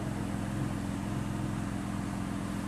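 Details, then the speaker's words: Porsche 911 flat-six after repairing the PCV/CCV oil separator membrane and boot air leak, A/C on: quiet, even warm idle, smoother and more linear, no rpm hunting or surging; normal idle. "on sent que le moteur est beaucoup plus doux, beaucoup plus linéaire. Et là, je viens d'essayer, j'ai mis la clim, on n'a plus d'oscillation de régime."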